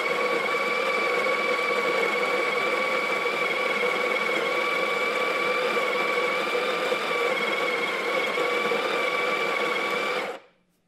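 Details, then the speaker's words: Breville Barista Pro grinder dosing on a 10.5-second timer for about 15 g: steady, even whirring grind at constant pitch for about ten seconds, then a clean stop; grinder healthy. "The grinders are essentially the same. Dose should be the same. I have it for 10.5 seconds here, so we'll just double check."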